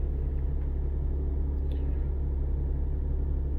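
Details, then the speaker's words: Lexus IS200 petrol engine idling after an ignition coil replacement for misfires, with a steady, even low rumble and no stumbles. The OBD scanner shows zero misfires on all cylinders and no fault codes. "widać nadal nie pokazuje żadnego wypadaniu zapłonów czyli wymiana cewki rozwiązania całkowicie problem"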